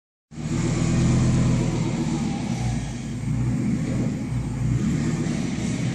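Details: Motorhome idling without its catalytic converter, which was missing before replacement: a deep, loud, raspy exhaust drone with a low rumble.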